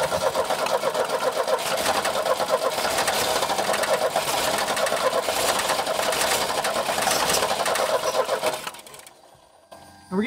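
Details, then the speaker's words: 1989 Chevy S10, 2.5L Iron Duke four-cylinder, abandoned about 22 years, on a fuel tank: dense, ragged clatter with an uneven beat near three per second, catching and stumbling instead of idling; tons of fuel getting in, MAP sensor unplugged, cause unconfirmed. "give it a shot and we'll see if it runs hey it kind of worked right it's super dirty in there"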